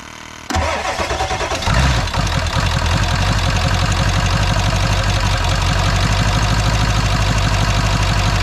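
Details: Ford F250 7.3 Powerstroke diesel after injector replacement, with high-pressure oil pump at about 3200 psi cranking and about 780 psi at idle, IPR 17.8%: quick crank catches within a second, then a steady, even diesel idle clatter with no misses; healthy.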